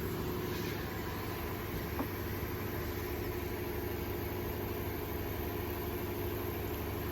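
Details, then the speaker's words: 2005 Cadillac CTS 3.6L with multiple misfire codes (P0300, P0303–P0306) and cat codes P0420/P0430, running rich; leak-down test with air added to cylinder, steady hiss heard at exhaust, not coolant reservoir: cylinder leakage past exhaust valve. "okay I hear it in the exhaust quite a bit and in fact I can even smell it because it's been running rich"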